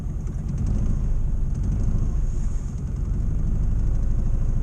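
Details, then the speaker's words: 1962 Morris Minor on choke, after breaking down: lumpy, uneven idle with beats dropping out irregularly under a low rumble; rough misfire, owner suspects coil problem. "it's Miss faring like anything pretty rough"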